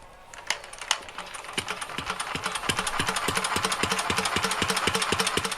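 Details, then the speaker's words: 1949 Petter A1 air-cooled stationary engine, already warm, hand-cranked with no choke and throttle nearly closed; a couple of loud cranking knocks then crisp even firing at about four beats a second, clean start. "my engine is already warm so I shouldn't need to use the choke but all of my pet or a ones seem to start better with the throttle closed or nearly closed so that's what I'll do now when I try to starters"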